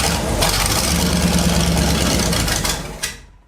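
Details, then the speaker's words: 1970s Sleek Craft jet boat's Oldsmobile big-block V8, sat for years, first start after tapping the carb to free a stuck needle and seat: catches and runs roughly about three seconds, then dies; air and a jellyfish-like glob in the fuel line. "Well, she's got a little bit of air in the lines, not gonna lie. And what looks like a jellyfish."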